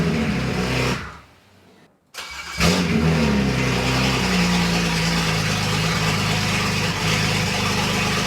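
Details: BMW 335i wagon swap, first engine start in new chassis, garage open: cranks briefly, catches and settles into steady, even idle with no knocks or misses; engine healthy, though fault codes remain.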